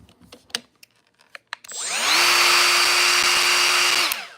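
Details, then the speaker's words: Hercules power tool, heavily used: motor spins up to steady high whine with harsh hiss then winds down, sounding worn and near failure; housing loose so it shifts off the trigger, cause of noise unconfirmed. "Sounds nice, right? Sounds like it's on its last leg, right? I've been waiting for this thing to break for like a few weeks now."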